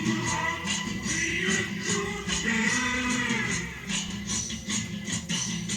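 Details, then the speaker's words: Sony Walkman cassette player after head cleaning with IPA, playing a cassette: music drags with low, sluggish pitch and tempo throughout; tape running very slow. "இப்ப வந்து ிளே பண்றேன் செம ஸ்லோவா ஓடுது"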